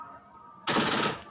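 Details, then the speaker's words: Timor DOHC (Kia Sephia S515i) injection car with a flat battery, confirmed beforehand on a digital voltmeter: turning the key gives only a brief rapid rattling chatter of about half a second with no cranking. "Nah, seperti itu bunyinya. Ini gejala baterai tekor ya teman-teman."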